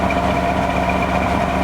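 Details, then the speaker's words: 1994 Chevy Astro van, started after about 6 months sitting on a warm day, heard at the rear exhaust: smooth, even idle with steady note, no misses or knocks, running a little rich from sitting; sounds like a V8; healthy. "Sounds like it's got a V8 under the hood. I love it."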